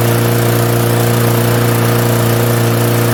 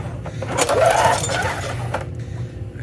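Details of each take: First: 1998 Murray 20506x8a push mower, auction find, throttle on rabbit, no working kill switch: small engine holds steady, even drone at high throttle, then note drops smoothly near end; running well. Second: 1998 Murray 20506X8A push mower, auction find, oil fine: single cord pull turns engine over briefly with no firing; cranks but won't start, kill switch wiring suspected.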